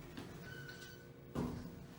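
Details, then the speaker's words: 2008 Otis Series 5 hydraulic elevator at a hotel: a quiet door close ends in a hard, sudden thud as the door slams shut, blamed on a poor door operator. "Door operator, this one isn't too good. You guys heard how it slammed."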